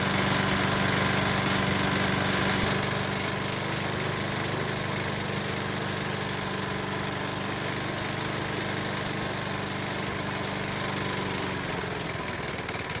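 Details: Used Honda lawnmower engine, oil-burning, running after spark plug was found the cause of its no-start: steady small single with a hard regular knock about four times a second on the exhaust beat — rod knock.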